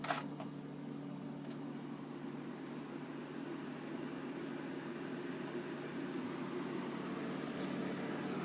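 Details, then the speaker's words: Evaporative humidifier fan on low speed; even steady whoosh with low drone underneath, no knocks or rattles, runs smoothly but low speed is fairly noisy. "I was hoping that maybe the high speed would be the loud speed and maybe low would be a lot quieter, but it's acceptable, I guess, but it is pretty noisy."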